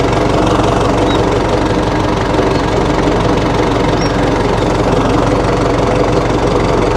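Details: 1960 Massey Ferguson FE35 4-cylinder diesel tractor, after sitting long in a paddock: steady, even clatter at slow idle with no misses or stumbles; engine running healthy.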